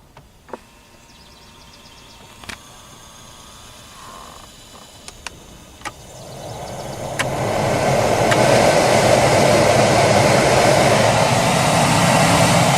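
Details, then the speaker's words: 2005 Dodge Ram 2500 during dual-zone climate control conversion, following adjustment, retightening and taping over the whistle hole. A few clicks, then blower ramps to a smooth steady rush of air with no whistle: normal blower operation. "Alright, little whistle hole all covered up. No more whistle."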